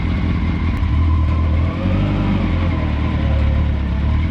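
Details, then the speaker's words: Mini trophy truck project with 4WD, lower gearing and bigger tires, running in four-wheel drive under load after new chain tensioner fitted: deep steady engine drone with no chain slap or rattle; chain drive now much quieter, normal. "and the new chain tensioner is way quieter"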